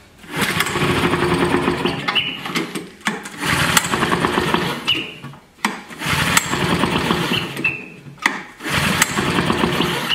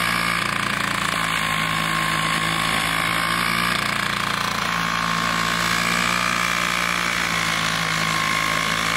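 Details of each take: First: Vintage Flymo hover mower, two-stroke, fresh two-cycle mix, choke was sticking, diaphragms suspected hard. Repeated pull-cord bursts spin it over but it never catches. Gas leaks out, suggesting a sticking needle and seat; the carburetor will be rebuilt with a new diaphragm. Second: Vintage Toro 19-inch Flymo hover mower, spring adjusted to run about 3,700 rpm, kill switch fixed, mowing frozen grass in snow: high-pitched two-stroke buzz at steady speed, no surging or dropouts; normal running.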